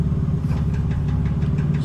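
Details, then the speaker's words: 1985 Nissan 300ZX, long stored, idling: with the clutch let out there is a light, steady knock about five times a second from the throwout bearing, which stops when the clutch is pressed in. "Now I just let out on the clutch. You hear it knocking? That's throwout bearing. I'm gonna push the clutch in and it stops."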